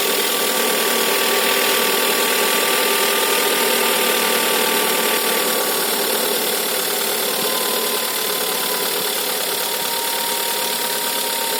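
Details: VW Golf 6 1.4 TSI at idle: a constant, dry metallic rattle, steady and unchanging, from a worn or slack timing chain, with a timing chain error.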